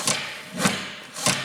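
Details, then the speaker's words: Cable-style gas pedal from a junkyard Javelin: three short scraping rasps, about one every half second, as the pedal is worked. It sounds like cable rub but isn't; the cause of the noise is unknown. "sounds like the cable's rubbing but it actually isn't i just it just makes a bunch of noise i'm not sure why it makes so much noise"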